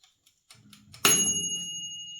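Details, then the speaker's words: Qilive Q.5962 38-liter 1600W mini oven, timer test: faint mechanical ticking, then a bright bell ding as the timer reaches zero; timer bell working normally. "there's a bell sound at the 0."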